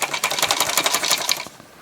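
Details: NAD 5325 CD player, linear loading drive: rapid, sharp mechanical chattering for over a second, then stops; disc drive mechanism rattling, cause suspected, not confirmed.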